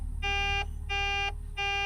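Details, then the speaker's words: Mack truck that keeps losing fuel prime: three even, high warning beeps repeating about every two-thirds of a second; air pressure is fine, and the alarm started with the key off; cause unknown. "I don't know what that noise is making. Is it low air? No, we have plenty of air. Started making this noise earlier when the key was off and I was outside the truck working on it."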